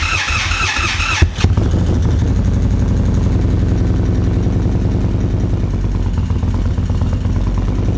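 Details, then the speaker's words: 2024 Indian Roadmaster, ThunderStroke 116, just after a Lloydz 585 cam install, before the ECU flash: fires instantly, lumpy idle with quick clacking tick over the exhaust. Noisy valve train at first start; cause unconfirmed. "Train is noisy. I don't remember my valve train being that noisy when I put my 585s in, but then again, my exhaust is so loud you probably don't hear it. But there's some clackety going on here"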